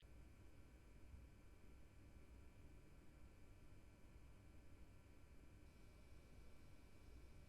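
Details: MSI RTX 3080 Suprim X 12GB graphics card in silent mode under load: a very soft, steady low whoosh with faint thin tones above it. Normal quiet fan noise under load.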